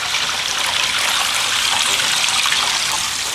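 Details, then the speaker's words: Sump pump discharge line, just sealed and riveted extension pipe: continuous hiss of water rushing through with no dripping or spraying, no leaks; pump gives a little water then surges. "It's rushing through with no leaks."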